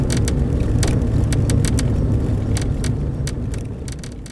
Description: Ticking noise coming from rear plastic deck near rear window. Becomes apparent after sitting in the sun for a bit. Goes away or gets quieter at night or when it's cold.